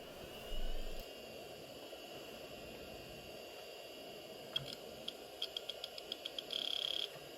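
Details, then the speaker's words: Quantum ProDrive LPS 420 MB IDE hard drive, about 30 years old, jumpered as master: a faint steady whine as the platters spin up, then quick seek ticks and a short buzz. Normal spin-up; later detected in BIOS. "hard drive initialization sounds good let's see if it gets detected in the computer bios"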